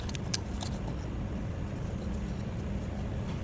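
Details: Diesel engine idling with an uneven, lumpy beat and occasional stumble, a misfire being fault-found; suspected faulty injector or cylinder, not confirmed.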